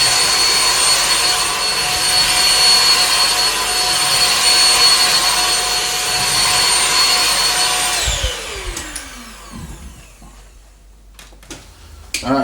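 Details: Dyson DC15 'The Ball' HEPA vacuum motor after replacing carbon brushes, test run: steady even high-pitched whine, no rattle or surging, winds down smoothly at switch-off; normal running.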